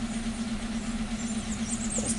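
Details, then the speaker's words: 2015 Hyundai Accent with codes P0335 and P2188, tach reading zero, stalling, loss of power and running rich, at idle: uneven loping rough idle with low hum and shake, no misfire counts; failing crankshaft position sensor. "this vehicle is running rough it's making noise like you know like a like you got an issue or something like that like if uh you got misfire"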